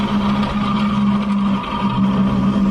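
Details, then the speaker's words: Automatic scooter rear wheel rotated by hand: steady gritty, rough hum, mild when turned forward and worse when turned backward. The cause is not yet found. "kita akan memperbaiki suara berisik yang berpusat dari saat kita putar di bagian roda belakang ini suara berisik noh ke depan"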